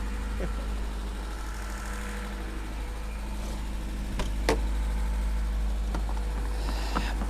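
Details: Lada after an engine rebuild, with earlier starter ground issues fixed: steady, even low idle with no misses, knocks or ticks; engine sounds healthy before its first test drive.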